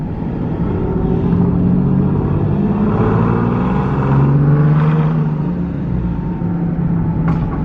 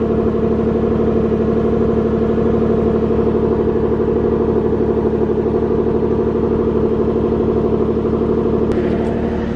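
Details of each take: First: Nissan 370Z Nismo, single turbo, cruising with windows down: steady engine and road drone with faint tone under 200 Hz; rear whine persists after an attempted fix. Owner suspects the differential, not confirmed. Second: Nissan 370Z Nismo with single turbo, raised and run in gear to check for the rear whine: steady whir with no rising whine heard and the ABS tripping; not traced to wheel bearings or differential, tires possibly suspected.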